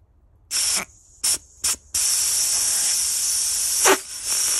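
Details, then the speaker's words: 5-inch gauge live steam loco Trojan, commercial whistle valve on bench blow test: sharp hissy bursts then a steady unbroken hiss; ball held off its seat by the pin, which isn't dropping back cleanly, leaking steam. "now this is what we saw on the loco so actually now if i push that and reseat it actually i can feel by doing that that the board isn't on the seat it's being held off the seat by the pin"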